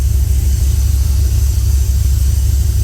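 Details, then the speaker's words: 302 V8 with Holley Sniper 2, cold start after priming the fuel pump, no tailpipes fitted, starts on first key turn; deep, even rumble with steady lope, no ticks or knocks; normal idle. "I'm bloody impressed with this thing. Oh, it's got a nice rumble to it. Probably a bit loud for him."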